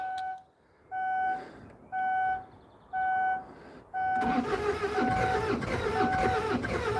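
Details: Kia Sedona diesel after a cam belt change, fuel lines being bled with the hand primer and three of four injector lines loosened: four chimes about a second apart, then steady cranking that never catches; air in the fuel lines is starving it.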